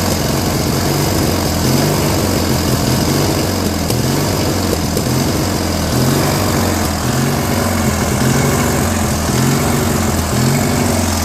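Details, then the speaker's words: Briggs & Stratton 16 hp opposed twin on a Murray tractor, after fitting a jet to a carb that had none: idles roughly, the beat swelling and sagging every few seconds; the idle/mixture screw needs further adjustment to stop the surge. "So this was like surging a little bit, so this screw has to be adjusted a little bit more"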